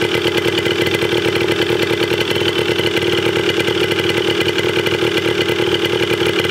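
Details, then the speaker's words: 1980 Yamaha DT/GT 125 Enduro two-stroke warming up after its first start. A fast, crisp popping idle stays even and unbroken. It runs fine, though the carb probably still needs cleaning. "But wow. She runs. Didn't sound too bad either."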